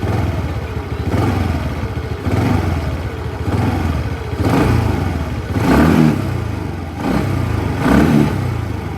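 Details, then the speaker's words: TVS Ntorq 125 scooter, 15 days old, warm, after first service: revs up and back down about every two seconds, smooth with no click on throttle; the click earlier came from auto choke and is gone. "तो आप देख सकते गए होंगे कि ये problem actually problem नहीं है, ये कंपनी का ही रहता है।"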